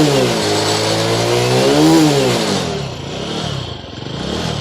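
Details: BS6 TVS Star City Plus single-cylinder after a starting problem was fixed (part cleaned and reconnected), revs up cleanly, pitch rising smoothly then falling to a steady idle, no knocks; normal revving.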